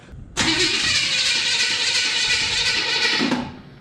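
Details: 1981 Chevrolet C10 short bed, possibly hydrolocked from coolant loss, distributor reinstalled at number one timing mark: harsh, labouring starter whir for about three seconds with no clean catch; hard, slow cranking, cause unconfirmed.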